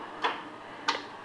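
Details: Ford LGT 17H lawn tractor, repowered with an 18 hp Kohler Magnum engine and rewired for key start: two sharp single clicks about two-thirds of a second apart, no cranking; starter solenoid clicking from a weak cheap battery.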